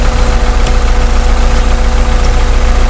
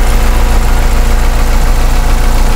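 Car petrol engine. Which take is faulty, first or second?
first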